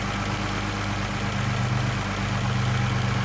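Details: Chrysler Pentastar 3.6 L V6 idling with a light, fairly quick rocker arm tick over the low engine hum; listening from the center then each side to find which bank is louder.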